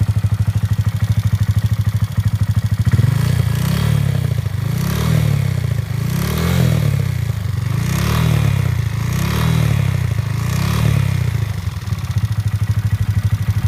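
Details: 2015 Honda Grom with Takegawa 181 big bore kit and performance camshaft just installed: fast loud clatter over deep single-cylinder idle, thickening with throttle blips; top-end ticking.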